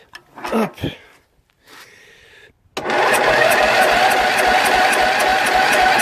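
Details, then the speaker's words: Jonsered LR 13 mower, Briggs & Stratton 12 hp, weak battery: after a pause, a labored churn about two beats a second drags without catching; hard, reluctant start. "Ah, c'est pas facile. Alors, faut que je démarre, que je tienne le téléphone et que je mette du start pilote en même temps dans le moteur."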